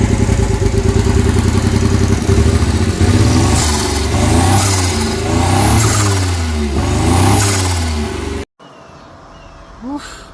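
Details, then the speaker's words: Honda Beat PP1 E07Z turbo swap, first running on new ECU: loud lumpy idle with uneven beats and sharp exhaust pops, lots of backfiring; vacuum leaks found at charge piping and a smoking vacuum line. "good we got vacuum leaks all over the place on this guy so it looks like someone on the charge piping we got a vacuum line back there that's smoking"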